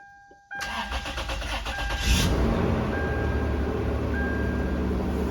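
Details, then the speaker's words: 2000 Toyota 4Runner 3rd gen, first start after a transmission swap during a 2WD-to-4WD conversion, transmission freshly filled with Dexron III: brief starter cranking, then it catches at once and settles into a steady, even idle, a clean start. "Started right up. That's good."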